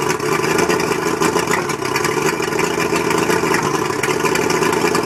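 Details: Mercury 135 outboard rough idle: loping, stumbling idle with uneven beats suggesting a misfire. Spark plugs suspected, not confirmed.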